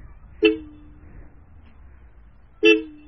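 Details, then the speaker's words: Stock horn on a Royal Enfield Classic 350 at about 7,400 km: two short, loud honks with a clear, steady high tone and clean cutoff; very loud, among the loudest stock horns on a bike in India; normal, healthy horn. "can hear that it's very loud, and it's one of the loudest stock horns that you can find on a bike in India."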